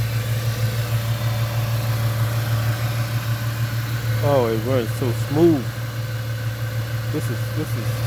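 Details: 1998 Ford Mustang, first start after about ten years sitting, warming toward normal temperature: low, even V8 hum with no misses or knocks, voice breaking in briefly; very smooth, quiet healthy idle.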